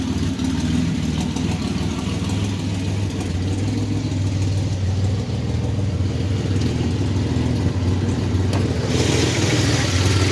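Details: 1985 Chevrolet S10, 2.8 carbureted two-barrel V6, 4-speed automatic, transmission not yet installed, almost 60 psi oil pressure; steady idle with uneven knock about three a second over low rumble; source undiagnosed.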